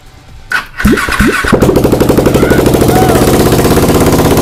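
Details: Exciter690R first start after the build: two short cranks, catches within about a second, then a fast, lively beat building with throttle. It starts very easily and runs normally.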